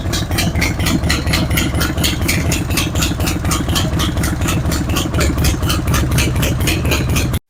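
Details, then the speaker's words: Harley-Davidson Road King at idle: a sharp, regular tick about twice a second rides on each firing pulse of the loping V-twin. It comes from an exhaust leak at the front cylinder's exhaust flange gasket, with carbon on the outside of the pipe. "So that was indeed the ticking noise that we heard. That was an exhaust leak out of the front."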